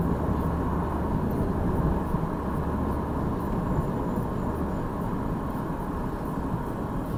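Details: 2002 Jeep Liberty with swapped 3.7 engine on night road test, no check engine light, temperature normal: steady even drone under road and tyre noise, no misfire stumble, knock or tick; engine running smooth.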